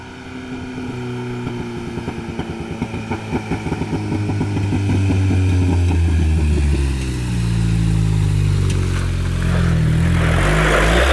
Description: Note, alot of the brrrrr sound is coming from the exhaust leak at the waste gate / Toyota pickup 22rte hi-flow cat 4 inch lift 33s t3/t4 turbo 8psi boost.